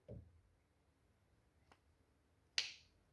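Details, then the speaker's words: BMW E36 Compact 316i 1.9 M43B19 (won't hold idle, misfires at low rpm): soft thump then one crisp click as a spark plug fitted into the number 4 lead's boot latches properly; the number 3 lead does not click and needs replacing. "¿notáis ese clic? Encaja en el conector que tiene."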